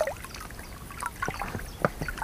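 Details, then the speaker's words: Pelican boat oarlocks, which squeaked badly last year, after greasing with CV joint grease: only soft oar strokes and water trickle, no squeal or creak; oarlocks now quiet. "удалось наша затея не скрипят уключины повторяю смазывали во смазка шрус для шарнира угловой скорости все пропало"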